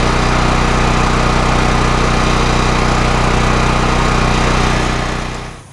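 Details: Westinghouse WGen9500DF dual-fuel generator running on gasoline makes a steady, even drone at constant speed until shut off; it runs normally.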